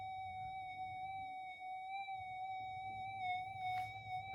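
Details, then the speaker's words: Repaired Minelab GP Extreme metal detector on the workbench, threshold turned down, amp up high: a steady high threshold tone with a faint slow 50 Hz mains warble riding on it. Pretty standard; normal threshold tone with mains hum. "But even on the workbench, you know, you can just hear that 50 hertz warble coming through. That's pretty standard."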